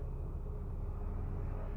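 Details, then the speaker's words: 2013 Hyundai Sonata Theta 2 engine after in-car rod bearing repair: low even idle with no knocking after a throttle blip; loud top-end noise is the high pressure fuel pump, roughness maybe from sitting months; check engine light still flashing. "I don't really hear many knocking in the top and noise that you hear up there that's that high pressure fuel pump that's really loud"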